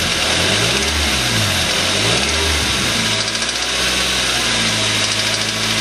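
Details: Suzuki Aerio petrol engine revving then settling, with a deep rhythmic knock: rod knock from a spun connecting rod bearing; engine was replaced under warranty.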